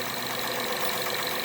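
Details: 2012 Acura TL at idle: fast, light metallic ticking over a steady hum. The source of the tick is not yet pinned down.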